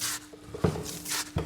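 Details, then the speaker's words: Kawasaki EX4 (GPZ500S) daily bike, largely unridden for months, drive chain turned by hand before replacing chain and sprockets: dry gritty rubbing and loose clunks; chain is really bad, badly worn. "that just doesn't sound good at all the chain is uh is really bad like really bad"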